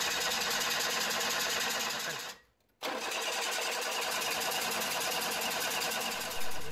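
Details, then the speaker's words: Mitsubishi Minicab after fuel pump replacement (was very low power, bad fuel pump; fuel pressure now over 40 PSI): engine briefly cuts out, then catches and settles into a steady even idle with no misses; runs fine, fuel trims around -1. "now this truck runs fine let's check full trim data"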